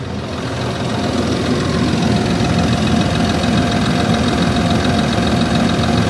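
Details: Land Rover Discovery 3 2.7 TDV6 diesel, cold engine at idle: steady clatter of knocks about three or four per second over low rumble; engine knocking when cold, cause unknown.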